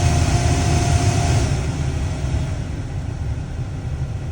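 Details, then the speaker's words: Ravon R3 (Chevrolet Nexia R3) heater blower motor after being cleaned of dust and its two small bearings lubricated. On top speed it gives a steady, strong whoosh with no earlier whistle or squeal; the repair worked. "Ну что, помогло? И не пришлось покупать новую печку. Помогло, всё работает."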